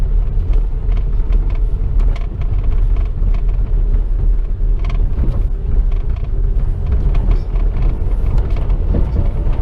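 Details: Chevrolet Corsa sedan on road test over rough road, noise heard inside the cabin: loose irregular knocks and creaks over heavy road rumble, not only from the suspension but from the bumper and doors; body rattle.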